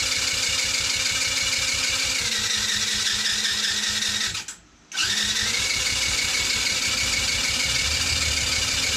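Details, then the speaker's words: TaoTao 110cc not starting: spark confirmed, repeated cranking with an uneven beat near three per second that never fires; compression about 70 psi, almost none; owner suspects something loose and plans to try tightening the head. "this thing is almost no compression yeah we're right at about 70 pounds of pressure here"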